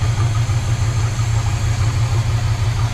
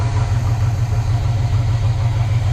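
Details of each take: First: 1970 Chevy C30 V8 with rebuilt Quadrajet, warm at idle with thermostat open: constant airy sucking hiss as air is drawn through a gap from the too-tall, wrong air filter/cleaner assembly. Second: 1970 Chevy C30 V8 with rebuilt Rochester Quadrajet and new fuel pump on original fuel system, warming up: deep even idle that keeps running without stumble or miss.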